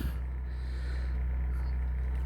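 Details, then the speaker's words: RV microwave running off-grid on a 2800-watt generator with the air conditioner switched off: steady low electrical hum held evenly, short beep at end; microwave running normally without overloading the generator. "you can see we're running our microwave so I can run the microwave but I have to tend the air-conditioning off when I'm running the microwave and it looks like it's gonna run just fine"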